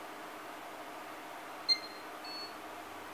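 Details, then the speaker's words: ASUS P8H61-M LX motherboard after BIOS chip replacement, no CMOS battery fitted: two short beeps and it powers on, normal startup; both identical boards' faults were the BIOS. "dois bip. E ligou. Ambos os defeitos são os mesmos, tá? Ambos os defeitos eram BIOS."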